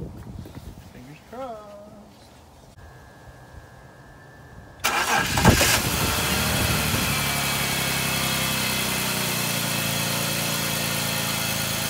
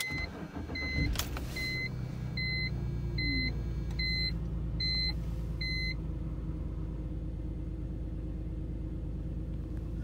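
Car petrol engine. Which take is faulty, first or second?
second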